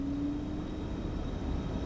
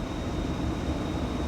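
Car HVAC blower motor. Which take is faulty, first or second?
second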